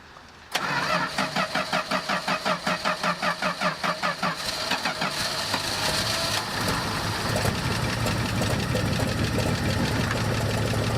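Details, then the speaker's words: 1984 Dodge Ram D100 slant six with the carburetor bowl freshly filled: it cranks several seconds, catches and idles with a quick, light tick; at first suspected as a rod, found to be an exhaust leak tapping from a broken exhaust stud. "broken exhaust stud I knew about that exhaust is sitting there tapping that's actually what it is"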